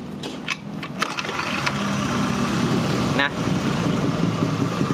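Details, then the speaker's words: Honda injection scooter at idle: soft, even sound with no rattle. Its complaints are judder and a tak-tak rattle on initial acceleration, blamed on a loose, worn pulley shaft end and bearing, and heard only with throttle. "posisi langsam stasioner ini suaranya lembut"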